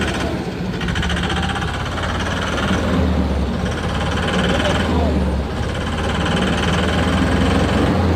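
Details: Tata 1014 diesel engine knocking at idle: hard, rhythmic clatter at roughly three and a half beats per second over the idle; cause unclear.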